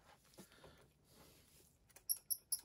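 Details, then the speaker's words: Lionel 21-inch passenger car truck turned over and spun by hand: sharp, high chirping squeaks, four quick ones, from the wheel rubbing a flange on its truck, the squeak heard on the layout. "So as they go around the layout, you get that squeak, which is just obnoxious."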